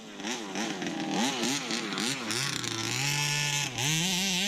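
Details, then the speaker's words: Rebuilt 29cc two-stroke in a Baja 5B RC car, driven on frozen ground: buzz rises sharply in pitch on each throttle blip, revving cleanly and crisply with strong pickup and punch; healthy, normal revving. "Ooh, it's got some punch, man."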